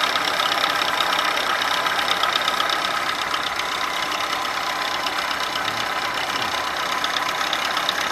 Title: ВАЗ 21011 стук в двигателе